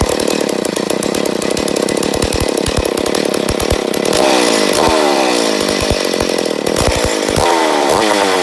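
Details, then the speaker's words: McCulloch Pro Mac 850 chainsaw, first start attempts after a rebuild, with the choke adjusted and the recoil spring possibly broken. Loud raspy two-stroke that surges and sags unevenly instead of holding revs; owner suspects an air leak and is adjusting fuel/air. "yeah something's going on with her or what's it called choke it out a little bit"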